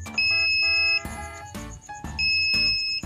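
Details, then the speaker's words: Polytron Zerometic single-tub washing machine control module after PSU repair (5V supply measured 4.4V, normal): clean high beeps and a short chime on each button press; spin, on-off and all buttons now respond normally. "Nah sudah normal tombol sudah fungsi semua untuk Spin untuk Roy sudah normal semua on-off juga sudah normal"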